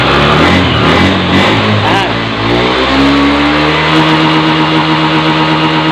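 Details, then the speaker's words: Honda Beat FI scooter with CKP sensor fault fixed: revs climb and hold a steady high drone at full throttle for several seconds without stumbling or cutting out; previously stalled when hot with MIL code 52, now normal. "Gas lagi, full. Sip, remah. Alhamdulillah ya kawan ya, beres ya."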